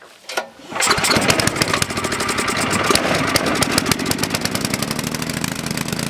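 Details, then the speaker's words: Coleman Powermate Maxa 5000 ER generator, reassembled from parts, runs on half choke; governor hunts, engine surges unevenly and starves for fuel with choke fully open. Lean running, suspected dirty carburettor needing cleaning. "Alright, it runs on half choke, but it starts, the governor takes over, and it's starving for fuel when you put the choke all the way open."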